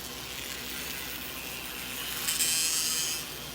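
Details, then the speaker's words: Used Bachmann N scale SD40-2 model locomotive on an HO transformer at about 40% throttle: a thin, high buzz swells as it comes round, believed to be resonance from one or both motor flywheels vibrating and possibly contacting the split chassis. "That buzzing noise. Honestly, it runs okay. That buzzing noise is resonance from one or maybe both of the flywheels on this motor vibrating and possibly even contacting the inside of the split chassis."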